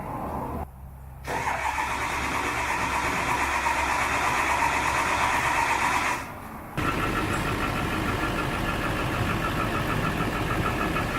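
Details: High-mileage turbo diesel in cold weather after dead glow plugs, water in fuel and a stuck exhaust back pressure valve were fixed: rough clatter catches, dips, then settles to a steady idle; normal cold start.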